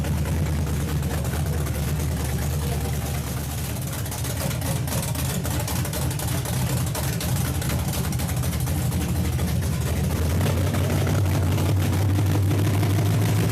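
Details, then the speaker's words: 1962 Chevy pickup project with a 350 small block, first start on new motor mounts: deep, steady V8 burble at idle with an even firing beat and no knocks or misses; normal idle. "man hearing his motive for the first time this sounds so sweet to my ears you guys just do not know"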